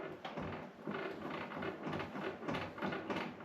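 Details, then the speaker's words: Hammerhead GTS 150 Platinum UTV making uneven bursts of light plastic clatter, one to two a second, from a loose dashboard; first suspected the steering shaft, and silicone lubricant on it only quieted the noise slightly. "it's actually quieted down a little bit cuz I sprayed the steering shaft with some silicone um lubricant and the sound's still present though"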